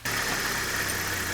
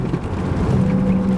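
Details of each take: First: Opel Vectra A, wheel raised on jack, engine idling in first gear: even quiet wheel spin with no hum or grind from this side's hub bearing; the drone comes from the other side's bearing. Normal wheel bearing. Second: Opel Vectra A driving straight: low droning hum over road noise that grows slightly steering left and disappears steering right, typical of a worn front wheel bearing.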